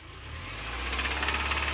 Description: Engine rod knock on a 2005 Subaru 2.5rs with 100k miles.